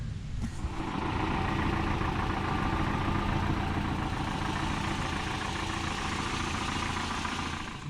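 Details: 1985 Toyota pickup, 22RE engine, about 170,000 miles, started after a tune-up with new plugs, cap and rotor, intake and fuel filters, oil pan gasket and oil change: smooth, even idle with a steady low drone, no knocks or misses.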